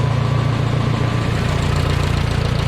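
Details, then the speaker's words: 1969 Minneapolis Moline U302 tractor after a full rebuild of a previously stuck engine, first start after points work: low, even thumping idle with steady firing pulses, no knocks or misses; running normally. "finally got her to fire up. So this is what she sounds like. Good."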